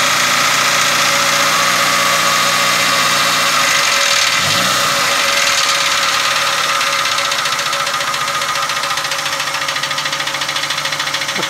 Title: bruit moteur - سماع صوت التكتكة او الطقطقة فى محرك السيارة